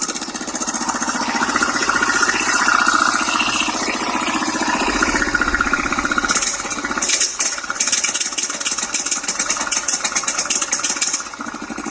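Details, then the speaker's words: 1989 Yamaha Big Bear 350 4x4 ATV with a new timing chain, starter clutch bearing and coil; carb swaps ruled out. It idles, then runs rough, stumbles and misfires, breaking up badly as throttle comes in. "can hear it break up bad so that's kind of what it was doing"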